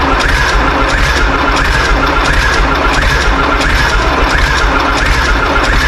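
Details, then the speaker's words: John Deere 3130 tractor diesel, first start after sitting, cold, apparently firing on about three cylinders: it clatters unevenly at idle with a lumpy, irregular beat and seems to need heat; the cause is not confirmed. "It's only on like 3 at the minute. Sounds like it needs a bit of heat."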